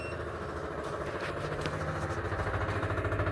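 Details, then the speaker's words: Universal aftermarket inline electric fuel pump on a Gen 1 Mitsubishi Montero/Dodge Raider (2.6L 4G54, Weber carburetor conversion), mounted at the tank at the rear, key on: harsh steady buzz with a pulsing hum; it works but is very noisy. "Um, well, functionally it works, but it is hella noisy. And I'll turn the key so you can hear it running."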